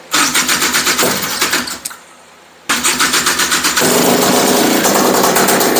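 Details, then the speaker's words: Honda Odyssey FL350 two-stroke with new DG exhaust and Keihin carburetor, first start: fires, dies after a couple of seconds, then restarts into a slow popping idle about four beats a second; idle set too low. "so wow how does that sound to you guys i think it's idling a little slow though you guys that sounds so good"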